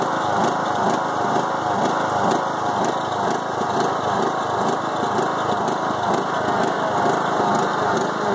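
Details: Five-year-old Craftsman mower with a Briggs and Stratton Intek 20HP twin, after a head gasket change following hydrolock: an uneven, lumpy beat of about two wandering pulses a second; rough idle that bogs while mowing, cause not found.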